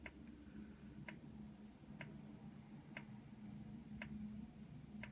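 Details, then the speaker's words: Carver PM-1200 power amplifier, goes straight into protection at power-on with the protection light solid red and fans not running: crisp click about once a second over a faint hum from inside; cause unknown. "you can hear something clicking on the inside of the unit i don't know if you can see it but the fans are not running back there"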